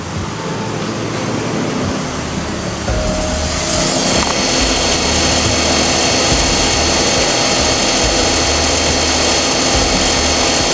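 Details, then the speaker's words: Toyota Alphard with K115 automatic CVT, idling stationary, mic at transmission: steady high whirring and pulsing drone, similar to a Harrier case: abnormal CVT transmission noise. "Teman-teman udah dengar di bagian maticnya itu ada bunyi."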